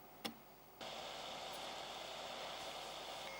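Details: Amiga cooling fan with a 33-ohm resistor added to slow it, microphone close to the machine: after a click, soft even whir with faint high hum; fan running quietly and normally.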